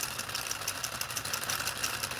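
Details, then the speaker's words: Small 3D-printed "Telboy" solenoid motor on a JL94 circuit at high voltage, with parts fitted backwards and coming apart. Light, uneven rapid clicking that never settles; it wants to keep turning but barely sustains rotation. "oh see it wants to continue it wants to kick over so it does work basically"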